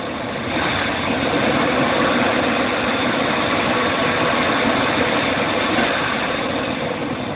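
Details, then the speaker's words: 1998 Chevy Astro van 4.3 L V6, previously misfiring and backfiring; after cleaning the MAP sensor and resetting the ECM it idles smoothly and evenly with no misses or stumbles, running like new. "I reset the ECM on it it's running beautiful idle's good no misses going in like a new van"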